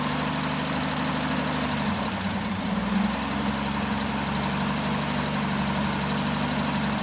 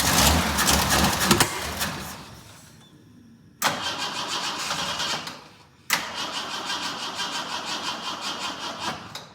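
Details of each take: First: Jeep J10 after carburetor rebuild, cold weather, about two gallons of fuel: steady even idle with low smooth rumble, no knocks or stumbles; builds oil pressure and voltage, some oil burning off, suspected valve cover gasket leak. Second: Jeep J10 with rebuilt carburetor and reinstalled tank, cold, choke not working, fuel now in filter: three sluggish cranking attempts near four beats a second that fade out; battery running down.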